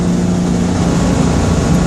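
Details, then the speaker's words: Citroën 2CV (Project Elly) on first drive after revival, ignition timing reset with a different points box, loaded up in top gear on a hill: smooth steady flat-twin drone, no rattle or tinkle, no pinking heard under load. "This feels much more like the Ellie I remember. I've loaded her up in top gear to see if I can hear pinking, and I can't, so that's"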